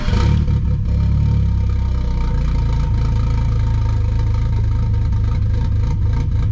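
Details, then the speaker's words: Cold first start after clearing codes and battery disconnect for fuel-trim relearn with new MRP 3" aluminum MAF housing: loud rev settling into lumpy, uneven idle with clatter; 276 cam lope, but doesn't sound happy, cause unconfirmed. "it sounds like the cam because that's what a 276 cam is supposed to sound like but i don't know it doesn't sound happy"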